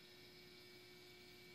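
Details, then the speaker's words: Sunbeam 1375 W toaster, probably late 80s or 90s, elements on bright: faint steady electrical buzz with a thin high hiss; normal element buzz. "buzzing a little bit. There's so much juice running through that thing."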